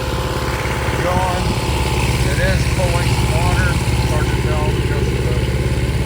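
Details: Restored long-stored 6.5 kW gas Kohler marine genset from a houseboat, bench run with bucket water pickup at about 30°F; steady even low chug at idle, no misses, knocks or rattles, healthy.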